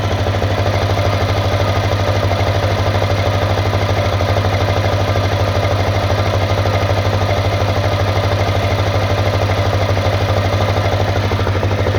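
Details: CRF250L at a steady idle: a regular tapping knock, about a hundred a minute, over the low thump; internal engine knock, source not pinned down.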